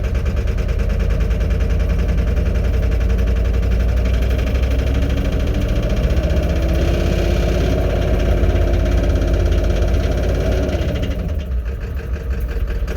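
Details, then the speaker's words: Ford 7.3 Powerstroke diesel at idle after reassembly: a loud, lumpy idle with an uneven low thump about three times a second. An injector test showed all injectors firing, so an internal engine problem is suspected. "pretty rough. I'm wondering if some of the injectors aren't firing."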